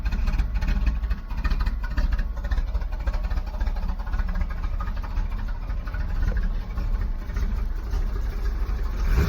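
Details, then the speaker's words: 1991 Camaro V8, cold start after sitting a while, newly done exhaust: deep, even rumble at steady idle, no knocks or misses. "Doesn't sound too bad. Just got the exhaust done."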